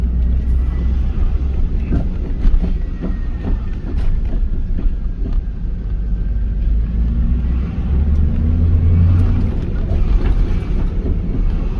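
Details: Rear banging on a 1998 Formula with 5.7 LS1 and M6 manual: heavy low road rumble while driving with irregular sharp clunks from the rear, first thought to be the differential but traced to a worn torque arm, bushings and rear tire assembly damage.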